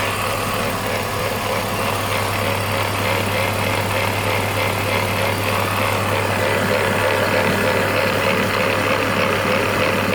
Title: BMW e46 330Ci m54 grinding sound engine noise motor zaj rágó őrlő hang